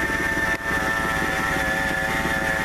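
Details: 1997 Ford F150 warm idle, not a cold start: constant thin high whine holding pitch; accessory drive whine, mechanic ruled out power steering, replaced A/C compressor pulley didn't cure it, checked with laser thermometer at alternator, idler and tensioner pulleys.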